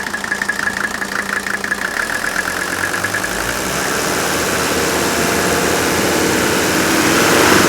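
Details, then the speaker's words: Mercedes OM617 turbo diesel, very high compression over 400 psi per cylinder: quick start, even sharp combustion knock at idle smoothing into a rising roar off idle; healthy ignition knock, not metal-on-metal. "That's the sound of healthy ignition knock, okay? That's not metal on metal knocking inside the engine."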